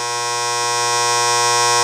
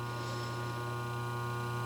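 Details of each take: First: Game machine's newly fitted lock relay coil: a loud steady electrical buzz that grows louder when switched back on, far more than the normal slight hum. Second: Lock relay with new coil, armature set vertical and back screw tightened: quiet steady low hum from the energized coil, no buzz or rattle; normal faint relay hum.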